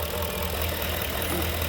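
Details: 2011 Ford Expedition 5.4 3-valve V8, 200k+ miles, knocking complaint, idling with the accessory belt off: steady even low idle with no knock or tapping; engine clean, knock suspected to come from the A/C compressor transmitting through the block.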